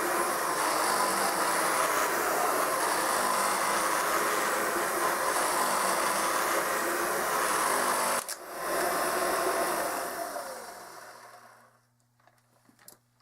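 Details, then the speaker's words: Kirby 560 vacuum after a new lexan fan replaced a long-broken one: high, steady motor whine with a rough, gritty edge from bad motor bearings, noisy brushroll, then spins down and stops. "it's still not perfect as you can tell it still has a little bit of very noise in the motor and the brushroll is pretty noisy on it too"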